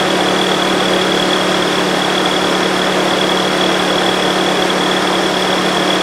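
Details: Nissan, coolant temp sensor unplugged to simulate a cold start: steady, busy idle with a thin metallic rattle on top; worn timing chain and cam phaser not functioning, due to neglected oil changes.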